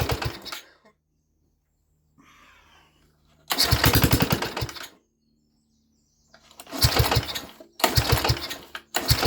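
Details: Mini tractor small single-cylinder engine, first start in 13 years, no exhaust fitted: loud, sharp unmuffled popping in short runs with pauses; fires cleanly and sounds nice, loud only from missing exhaust, shortly before a suspected snapped conrod.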